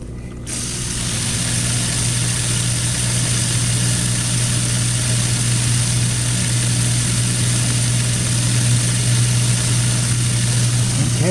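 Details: KitchenAid dishwasher after replacing the faulty water fill valve (pump and motor replaced three years earlier): steady, even low hum with no surging, grinding or rattle; running smoothly and healthy.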